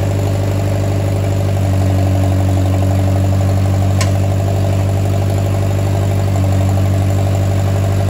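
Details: Oliver 550 tractor, first start in a reported 30+ years after ignition and starter rebuild, choked, to be run only seconds with no water pump belt: steady, even low idle with an unbroken beat and no knocks or stumbles; runs like a top.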